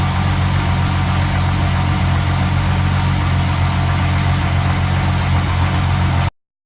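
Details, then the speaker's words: Mercedes-Benz 300SE during gear shift repairs, engine running after the fuel feed pump was checked at 1 litre in 15 seconds: steady, even low rumble at idle with no knocks, misses or ticks; engine sounds healthy and smooth. "That's the engine itself, you can hear running away there."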